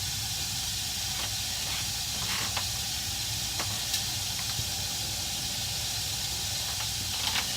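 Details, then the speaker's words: 1960 gas furnace after relighting the pilot and confirming the thermocouple works: even, steady rushing hiss of the main burner flame with faint occasional ticks, no flutter or popping; burning cleanly. "Thermocouple's working fine. The burner's burning good. Everything's okay."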